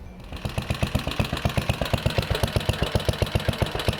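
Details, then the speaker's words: 69-year-old Briggs & Stratton 23A-FB engine after carb revival, mixture screws being tuned, sounds like about 4000 rpm: rapid even putt-putt that won't settle, idling too high; owner suspects governor and notes it runs away if high-idle mixture turned up. "um not sure if this is accurate but it sounds like it's accurate sounds like it's going about 4000 rpm"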